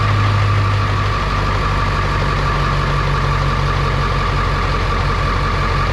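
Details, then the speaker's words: Test start after transmission replacement on 1973 truck: steady, even diesel clatter at idle with firm low rumble, no misses or knocks, louder in cab with boot; normal idle. "course sounds a little more angry with that that boot can hear all the 73 noises in the cab"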